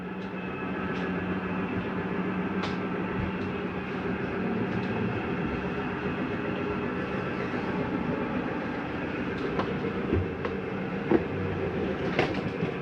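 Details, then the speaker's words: Jayco Eagle 340DROK RV, bedroom slide-out retracting: steady motor drone and gear whir with no grinding, plus a normal small clunk at the end as the mechanism stops the slide. "when it's done you'll hear a little clunking noise at the end that's okay to hear it's nothing grinding that's just the slide mechanism telling itself not to come in any further"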